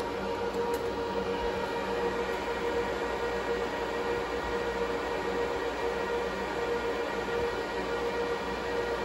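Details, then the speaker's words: Supermicro quad-GPU compute server at first power-up, one power supply's fan: steady rushing fan noise with a thin constant high-pitched squeal at fixed pitch while the system posts; failing power-supply fan squealing. "don't know how well you can hear it on camera but there's a deafening high-pitched squeal coming from that fan uh that's really annoying i'm gonna have to talk to the seller about that"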